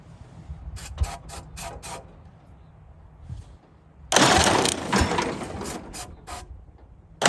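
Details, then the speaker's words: 1929 Ford Model A four-cylinder, abandoned 75+ years: a few sparse, uneven pops with long gaps, catching on one cylinder then dropping out again. "happens our one cylinder that firing fell off again it's got to quit doing that"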